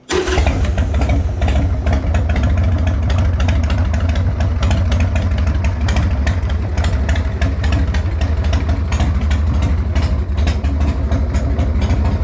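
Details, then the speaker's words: Harley-Davidson Sportster XLH built 15 years ago, started after years off the road and after rear brake switch and fuel line work, fires promptly into a loud, lumpy but steady V-twin idle with throttle blips; healthy. "okay so even after a build of 15 years ago this thing still sounds awesome"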